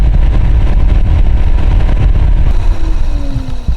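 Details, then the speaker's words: Nissan X-Trail with fluctuating temperature gauge, radiator fans driven via scan-tool actuation test at high speed: heavy rough low rumble from one fan. Worn fan bearing, audible even spinning by hand; the other fan not working. "But we seem to have 1 fan that's quite noisy. And yeah, even just spinning it by hand, I can hear the bearing noise in it."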